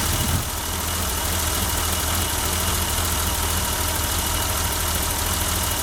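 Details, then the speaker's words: 1988 BMW 325i six-cylinder idling after 6 years dormant and a new fuel pump replacing the locked-up one: smooth low rumble, even and steady, no misses or knocks; running healthy, possibly slight smoke from oil dripped on the exhaust manifold. "It's been 6 years. Wow, that sounds smooth. Oh my gosh."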